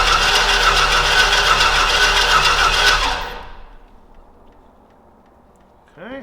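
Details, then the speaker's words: Old Stewart & Stevenson aircraft tug, smoking heavily: the engine catches with a quick, rattly run for about three seconds, then dies. The owner thinks the timing sounds right and it just needs fuel. Cause suspected, not confirmed. "it's close it sounds like it's on time it just needs some fuel"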